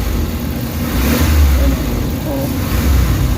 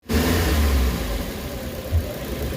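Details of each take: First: Suzuki Carry after XADO treatment: at 50% pedal it reaches about 2,500 rpm and the engine climbs cleanly, then recovers without hesitation, stumble, knock or the earlier shaking; normal rev response. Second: Suzuki Carry with low power, weak on climbs and engine knocking, warmed up, before engine treatment: low, uneven chugging idle with lumpy surges and a deep shake; rough running, cause not confirmed.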